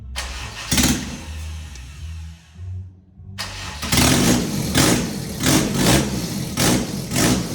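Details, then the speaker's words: Fully built B18 non-VTEC AWD Honda Integra, first start: catches, dies back, then restarts into uneven surging pulses of about ninety a minute that won't settle; idle control valve unplugged. "I didn't have the idle I didn't have the idle control valve plugged in cuz it was actually running good."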